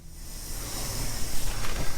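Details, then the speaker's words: Dodge M37 Power Wagon brakes pressurized with about 20 psi air in a static test after rebuild; soft steady hiss with nothing running, air escaping at the wheel cylinder fitting (banjo bolt, reused copper washers); leak still present. "Okay, we're still leaking there, so we're definitely going to have to tell if there's any problems."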